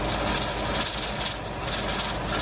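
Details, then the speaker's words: Pressure canner canning turkey, with heat turned to a little less than medium-high: the weight starts to jiggle, giving sharp, high steam hiss in quick puffs. The regulator is venting normally at pressure. "it's getting ready so it's gonna start to jiggle and it should only be for a few seconds there you go"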